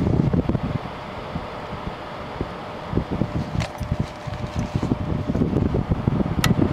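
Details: 2000 Quasar HQ2061FH 6000 BTU air conditioner (same as Panasonic), thermostat warmed with a hair dryer, on low cool: steady airy fan rush with even low compressor hum, no knocking or rattle; cooling normally.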